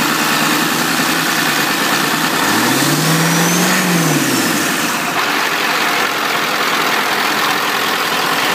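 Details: 1997 Powerstroke diesel in its original donor chassis before swap into a 1958 Chevy truck, started via 12 V PCM switch and starter relay after wait-to-start; spins up, catches and settles into a steady even idle, no knocks or misses; normal.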